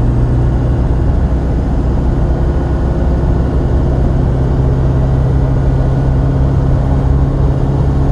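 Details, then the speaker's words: Chevy Silverado Duramax crew cab dually after AAM 11.5 rear axle rebuild with Eaton locker and new bearings, test drive at 60 mph: steady low drone, faint even gear hum slightly louder than remembered, no howl or whine; axle healthy, gears breaking in. "there it is 60 and no noise you can hear the gears a little bit louder than what i remember i think i'm paying attention to it now too"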